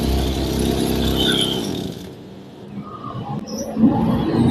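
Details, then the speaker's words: Small two-stroke plant sprayer engine: even buzz for a couple of seconds, then the engine noise drops away. Smooth, normal running for this type of engine. "Ini saya coba saya hidupkan. Ini untuk mesin suaranya halus. Untuk jenis tipe ini halus."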